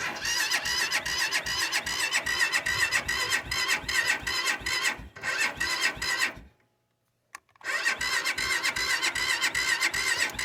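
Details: Cold start: repeated rhythmic cranking pulses about two to three a second, a short pause, then more cranking; engine never catches, cranks but won't start.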